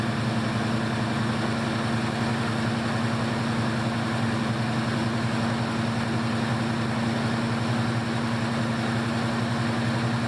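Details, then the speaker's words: 1974 AMC Javelin, 304 cu in V8, 727 transmission, running on a brand-new mechanical fuel pump after five failed ones: steady low drone with a slightly uneven pulse; then no fuel pressure, pump leaking from the diaphragm, failed. "no fuel pressure and it looks like it's leaking out the bottom of the pump like out of the diaphragm"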